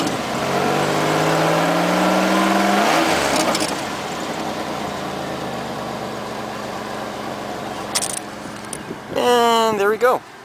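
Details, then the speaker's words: 1998 Oldsmobile LSS, 3800 Series II supercharged V6, about 16–17 years old: revs climb and fall with a raspy, buzzy edge on the exhaust note; muffler pushed in, likely from hitting a bump; crushed muffler. "about a year and a half ago when i was driving to my client something happened to my muffler kind of pushed in i must have hit a bump uh even though it is smashing i actually like the exhaust tone that it comes from it it gives a raspy exhaust note"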